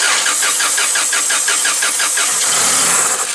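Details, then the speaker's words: Toyota 7FGU25 forklift, no-start complaint, cranking normally so compression not suspected: quick steady cranking, then engine briefly catches on brake cleaner sprayed into intake, confirming fuel starvation; next step is checking fuel supply from tank. "and there you go so we are missing fuel we know that because it started so now we're going to go after fuel"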